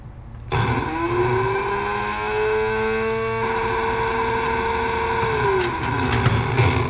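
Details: The same dump truck fuel pump, bench-tested again after being opened, shot with chain lube against a slight metal-on-metal sound, cleaned and reassembled: it spins up to a smooth, steady mid-pitched hum, holds for several seconds, then winds down cleanly with no scraping; it sounds healthy.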